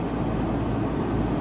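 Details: 15-ton Trane rooftop unit (R-410A) running both circuits after leak repair on circuit 2, vacuum and recharge, still slightly low while refrigerant added via vapor line: even steady rushing hum of fans and compressors, no knocks or rattles.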